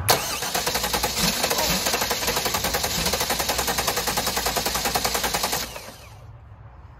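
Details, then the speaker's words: Race car engine runs with a hard rhythmic shudder, about three and a half beats a second, then shuts off; the vibration is traced to the clutch pressure plate, which wobbles and is not seated properly. "we got to be that vibration all right Brent see the problem yeah look at the pressure plate how much of uh like a swing it's got and it's it's not set down right"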